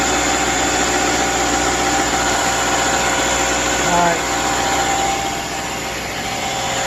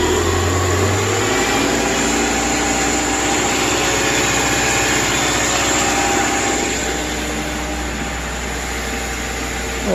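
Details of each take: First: 2010 Subaru replacement engine with 87,000 miles, installed after the original overheated and failed: even idle with steady pulse around 220 per minute, no knocks, ticks or stumbles; runs smoothly. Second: 2010 Subaru replacement engine idling after install, coolant 53 degrees, idle a little high, battery low: lumpy, wavering idle pulse, running rough with a little smoke and smell burning off; no check engine light, no leaks, cause unclear.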